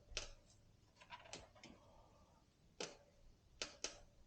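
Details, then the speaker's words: Orbea Rise mountain bike, about 200 miles, pushed and pulled hard gives sharp, dry irregular creaks and clicks from the top linkage/frame bearing, binding because the driver-side linkage was over-torqued; fixed by releasing that pressure. "you know what i think it's on this side yep now i'm really pulling and pushing harder just to make that sound"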